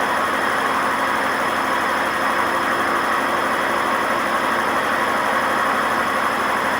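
A loud, steady roar with ringing tones holds through the high-speed spin, which fits a badly worn drum bearing.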